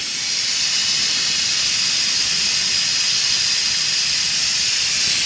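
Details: Old Ford truck: sharp, steady high hiss of coolant spraying under pressure with almost no engine sound, from at least three pinhole leaks in the radiator. Leaks are to be soldered.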